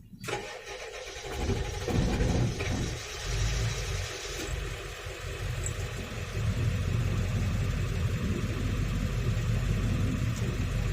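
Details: Ford 7.3L diesel with code P1211, with pressure bleeding off when shut down: cranks, catches and settles to a slightly uneven idle with a low knocking pulse. Runs a little smoother than before; fault suspected, not confirmed.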